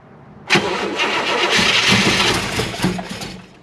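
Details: Chevrolet Malibu small-block V8 after a new top end: starter spins it about three seconds with uneven chuffing while the carburetor floats fill and the battery is weak, but it never fires. It cranks without starting.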